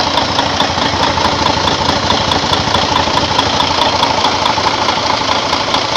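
Steady diesel idle with an even, crisp clatter and light regular ticking at a constant pace, no knocks or misses; sounds healthy.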